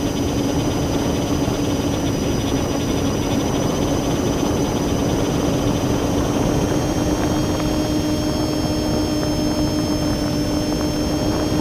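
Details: Drone with the camera tilted 15° down, causing bad vibrations: steady buzzing rotor drone with a fixed mid-pitch whine and extra high tones over it; owner suspects the ESC or motor bearings, unconfirmed.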